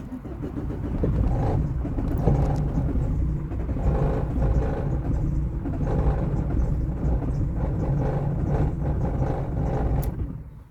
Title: no start 👋